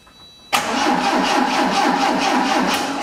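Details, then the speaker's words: Abandoned 1980 Triumph TR7, 2.0 slant-four, first start attempt in 7 years: starter cranks at an even, healthy rhythm but the engine never fires; no spark, possibly mouse-chewed wiring, distributor to be checked. "check the fuses where were they I think they're over there in the glove box so we definitely don't have any fire"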